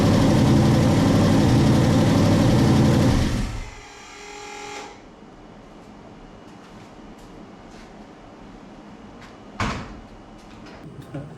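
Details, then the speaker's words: Drag truck's first fire-up after a two-year build. It fires straight up into a few seconds of even, steady idle, then is shut off because the screen gave no data to confirm oil pressure; clean start, no knocks or misses. "Okay, so it successfully fired up, but the screen was giving me no data."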